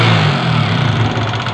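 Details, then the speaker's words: Yamaha NMAX scooter engine revving: a rough tapping (kemletek) that gets faster and louder as the throttle opens instead of fading. This points away from the CVT toward the cylinder head or block; the cause is suspected, not confirmed. "mesin tinggi suara semakin tinggi ngikutin durasi Berarti ada kemungkinan di bagian set head block"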